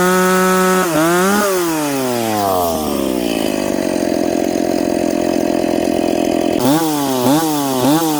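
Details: McCulloch Pro Mac 850 chainsaw with an expansion pipe, cutting two-year-seasoned hard oak at 10,300 rpm in the cut. Blips, then a steady high scream through the cut without bogging, crisp revs after. Normal cutting under load.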